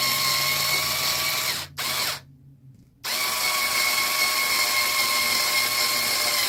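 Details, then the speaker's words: Losi 5T RC truck: high, rough whirring from the drivetrain that drops out and restarts under load, with a gravelly edge. Stripped gears are grinding inside. "yeah the gears are getting stripped out in this thing so yes it sounds like garbage I know I know it doesn't sound good years are getting pretty bad in it so what can you do"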